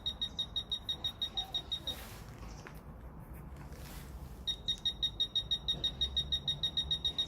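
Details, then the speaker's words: Fisher F-Pulse pinpointer in an air test: sharp high beeps about three per second that get faster as the target gets closer, then race; the pinpointer responds normally. "Vous entendez, les bips deviennent de plus en plus rapidement."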